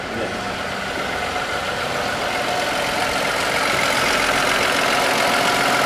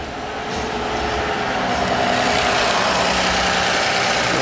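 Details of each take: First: Toyota Aurion with oil light on, buzzing and rattling from the engine, oil clean: loud steady whirring over the idle that builds slightly; muck inside, oil pump starving through a clogged pickup screen. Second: Toyota Aurion that had an oil light and engine buzzing/rattle, after the fix: steady even idle, oil light gone, horrible noise gone, faint whir up front possibly water pump noise; normal idle.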